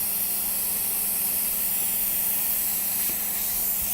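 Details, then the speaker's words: A radial tire, removed from the car, before a plug repair: a steady, thin hiss of air still escaping through the tread puncture, with no engine behind it; an air leak from the puncture. "All right, a little bit better angle here for us, and you can hear the air still coming out."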